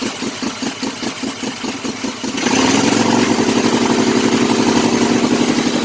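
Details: Kohler Command CH18–CH25 V-twin: uneven lumpy idle pulsing about four times a second, running extremely rich on one bank; dead coil and faulty carburetor suspected, not confirmed.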